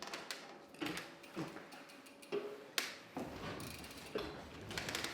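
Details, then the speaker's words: Polygon Siskiu T7E e-MTB, just under a month old with 64.6 miles (about 104 km): irregular sharp cracks and dry creaks from the headset as the front end is rocked, caused by no grease at the initial build; fix is pulling the fork and greasing. "the headset is super noisy um I'd like to rectify that now here listen see if you can hear the headset creaking and"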